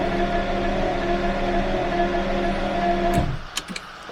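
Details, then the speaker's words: Jaguar V12 stored over a wet winter, never did this before, cranked with foot to the floor: steady fast starter churn, about three or four turns a second, never fires; owner suspects flooding or a stuck-open injector, unconfirmed. "very very strange okay I'm gonna let sit I think it is for some reason a little flooded I don't know if maybe injector is stuck open"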